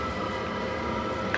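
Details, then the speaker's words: Battery-powered diesel heater at a cold allotment, 10 December 2022, finally running after E01 errors: steady even roar of fan and burner, no surging or popping; lit and running normally. "right so after a real fight and I'm not sure why but a couple of conclusions we've finally got it running"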